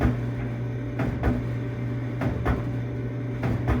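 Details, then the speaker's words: Samsung dryer running with a double clunk about every 1.2 seconds over the motor hum. The drum is cracked, with a visible gap that clunks once per revolution. "in my case I can see inside of the machine I actually can see where it's gapped so every time it goes around it makes a clunking sound"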